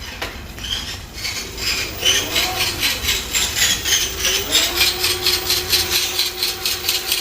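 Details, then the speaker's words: Motovelo TX8 e-bike with rear hub motor E24 error, run on a repair stand after battery reinsertion: rhythmic scraping about twice a second over a motor whine that climbs and holds is the wheel brushing the stand. The motor drives with no alarm. "소리는 거치대에 스쳐서 나는 소리고요. 일단은 모터가 구동이 되고 있습니다."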